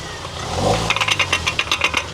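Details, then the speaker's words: 2011 Land Rover, noise when turning the steering wheel at low speed: rapid dry clicks, about eight a second; worn front joint found behind a completely broken boot. "En este caso está haciendo ruido y lo vamos a ver. Mira, aquí está completamente quebrado la bota."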